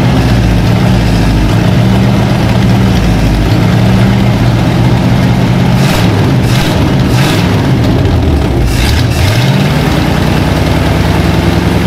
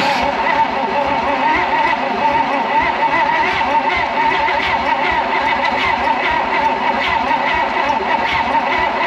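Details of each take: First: Abandoned 1956 Oldsmobile 88 V8 revived after plugs done and carburetor bowls filled; catches and keeps running, revs swelling and falling back to a rough but steady idle; it runs again. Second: 1956 Oldsmobile 88 that sat partly disassembled: steady, fast cranking that never catches or fires. Very low compression is suspected (no tester available), with ignition not yet confirmed.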